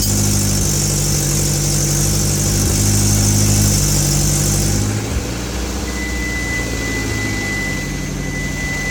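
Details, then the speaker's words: Hyundai Avante (Elantra) after broken wires causing misfire were repaired, no intercooler fitted: even, steady idle with no stumbles or skips, raspy exhaust note from a muffler leak at an open clamp; normal idle. "as you guys can hear it. It doesn't got no mis fire and nothing like that."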